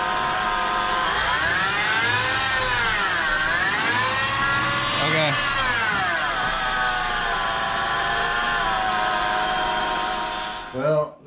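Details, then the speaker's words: 2006-2008 Honda Pilot engine revved: loud high-pitched whine rising and falling with revs; power steering pump replacement did not fix it, stethoscope traced it to the alternator bearing, tensioner and idler pulleys also slightly whiny. "but definitely from the alternator made the higher pitch noise that you heard in the first of the video"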